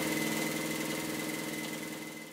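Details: Universal Atomic diesel (model 5411) yacht engine after running out of fuel, fuel pump bypassed and lines bled: steady even clatter with constant whine on top, no stumbling or misfire; normal diesel running.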